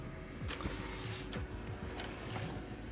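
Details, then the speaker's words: Dell Dimension desktop PC found in a trash pile, first boot into Windows XP: low steady whir with a soft tick about once a second; cooling fan sounds like it is struggling, cause not confirmed. "sounds like the fan is uh you know struggling a little bit. So, I think maybe it just needs a little help."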